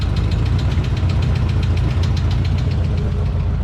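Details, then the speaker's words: 1968 Ford F100 V8 at idle after a rocker arm came off while driving: fast steady light ticking about five per second; source unknown, owner suspects exhaust. Engine otherwise running well, smoking slightly from spilled oil. "i still don't know what this ticking is now i'm thinking it's something in the exhaust maybe you hear that ticking feel that"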